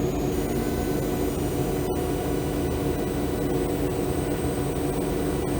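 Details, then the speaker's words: Legion 5i Pro 2022 laptop (12th-gen Intel, RTX 3070 Ti), second unit, under semi-intensive load with fans not fully kicked in: loud fan rush with thin high whistles, coil whine, the worst experienced. "as far as cool wine goes that's probably the worst that i've experienced myself"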